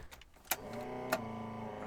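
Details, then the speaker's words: Datsun 260Z that reportedly cranked but wouldn't start, possibly bad gas, on a borrowed battery; after a click, steady electric whir of the fuel pump priming normally; engine cranks but doesn't start. "Ooh. Fuel pump works. It's not doing anything. Yeah, she definitely cranks over."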